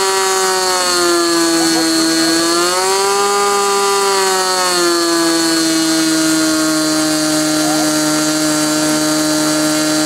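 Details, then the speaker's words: Glow engine on SIG Kadet LT-40 during break-in, restrained on ground, needle valve at about 1⅓ turns, possibly slightly lean at idle: high steady buzz dipping and swelling once, then even constant pitch; normal running. "so what you're going to see next is the remainder of that video after it was running and running smoothly I turned it back on and uh let it run for a while"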